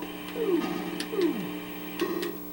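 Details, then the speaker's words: Commodore 128 computer after sound chip replacement: steady buzz under chirping sound output, unchanged by notes; bad smoothing capacitor at the 12 V regulator input letting ripple through. "I heard something all right so it is generating sound but there is it awful buzzing here so I guess we need to take a look"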